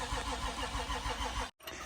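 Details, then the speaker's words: Nissan Skyline R33 RB25DET after an engine rebuild, cranked with coil packs unplugged to build oil pressure and get the oil flowing. Even starter churn, about seven compression beats a second, never catching; turns over freely, normal cranking without ignition. "Oil pressure's going up. So it's all primed pretty much. I'm going to do a bit more, get some more oil pressure, get the oil flowing."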